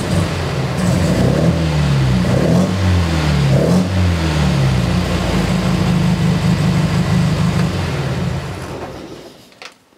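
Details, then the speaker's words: MGB with race cam and Lumenition optocoupler electronic ignition, after fitting new ignition module: starts easily, smooth clean rise and fall of revs with even beat and no stumble; ignition problem seemingly fixed, runs very smooth. "now it starts like a champ and it actually runs very smooth for the changes that this engine has because this has a race cam inside"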